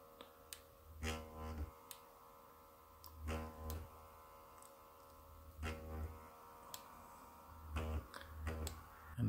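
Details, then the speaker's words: Late-1990s Märklin 33121 T5 model locomotive with AC motor and original Delta decoder: at low throttle the motor buzzes without moving, then lurches forward jerkily; motor upgrade kit 60941 and LokPilot 5 basic decoder planned. "um but as I turn up the throttle you can hear it buzzing and you don't see it moving, listen very carefully you hear that?"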